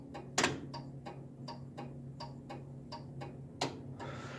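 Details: Crisp, evenly spaced clicks about three a second over a low hum from a DIY rat rod wiring setup with relays: the turn signal flasher is cycling properly and the turn signals work.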